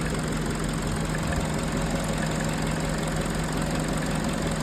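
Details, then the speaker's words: 2011 Peugeot 207, after fixing stalling, misfire and rough idle, warm at 90 °C with the radiator fan running: smooth, even idle with a steady low hum and no misses, shakes or knocks; normal idle. "So normal ang idle. Ayan. Okay na yung kanyang idle tsaka yung temperature."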